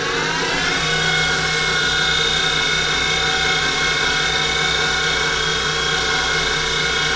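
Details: Denford Triac CNC converted to Mach 3 with a Panasonic 1.5 kW servo spindle motor: the whine climbs in pitch as the spindle speeds up, then holds a steady high tone, and the upper bearing support gets very hot; bearings suspected.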